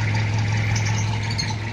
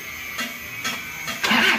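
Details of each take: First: 1997 Toyota Kijang diesel after cylinder head repair, just started and still cold: an even, low diesel clatter at a steady idle with no misses, knocks or hunting; exhaust smoke is thin and normal, and it is ready for a test drive. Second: 1997 Toyota Kijang diesel with head gasket oil seep and oil in radiator coolant: fires up into a low, lumpy, uneven idle, shaking badly and short of revs; mechanic suspects a loose timing belt, dirty diesel filter or air in the fuel.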